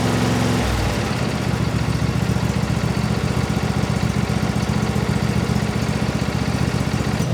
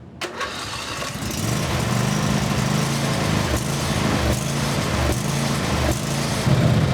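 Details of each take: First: Briggs & Stratton 24HP V-twin lawnmower engine after a full carburetor cleaning to cure surging: steady, even idle with a regular beat and no hunting or surging, running smoothly. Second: Briggs and Stratton 24HP V-twin lawnmower engine: cranks and catches, then speed rises and dips unevenly every second instead of settling; surging, suspected debris in the carburetor.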